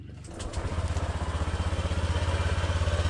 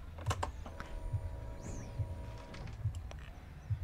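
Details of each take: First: Honda Click scooter started to a fast idle: steady rough throb about three beats a second; with the wheel turned by hand a scraping is heard, torque drive suspected as the noise source. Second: Honda Click scooter after repairing a noisy torque drive bearing: a few light clicks at start, then a steady, even, quiet idle with no whine or grinding, noise gone.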